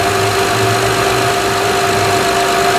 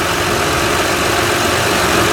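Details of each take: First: 2006 Honda Odyssey EX-L power steering pump just replaced, filled with Honda fluid: idling engine under steady high wavering whine; new pump sucking air and complaining until primed. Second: 2006 Honda Odyssey EX-L just after replacing the power steering pump (the original leaked at the shaft) and fitting a new belt: a smooth, even idle with no pump whine or belt squeal.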